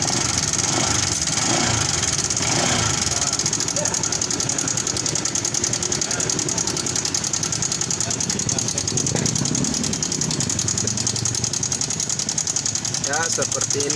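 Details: Honda Vario 150 (LED) scooter at idle, owner complaint of noisy engine: fast, light metallic ticking over the idle with no steady rhythm, worn/misadjusted cam chain tensioner letting the chain slap.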